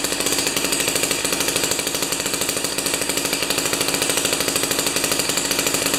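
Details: Jiffy 30 2-stroke 3HP ice auger after carburetor work, J19LM plug instead of J17LM: fast even buzz at high speed, no stumbling, after mixture turned out from lean high-rpm whine; running properly.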